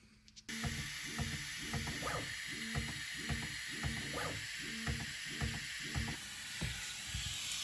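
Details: Bambu Lab P1P 3D printer after stepper motor replacement for a grinding noise; test print gives regular short whirring steps about twice a second, clean, with no grinding or skipped-step clunks. Normal printing.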